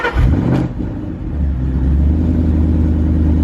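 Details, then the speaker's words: 900hp supercharged Shelby GT500 V8, first start on E85 (77%) after self-tuning, restarted after a TPS stuck-open reading, flares then settles to a deep, steady, even idle; fuel trims within 2-3%; normal idle. "sounds a lot better oh she smells sweet too"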